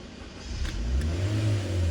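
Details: Honda Brio: starts, revs to about 3,000 then 2,000 rpm and stalls within two seconds; the MAP sensor reading stays stuck around 96–98 kPa with no check-engine light, and a clogged or dirty MAP sensor is suspected.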